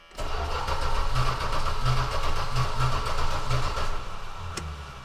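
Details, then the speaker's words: Aspen cranking strongly on a second start attempt, turning over evenly without catching; crank no start, owner suspects bad gas because the tank was never pumped out. "Crank it strong. Probably has bad gas."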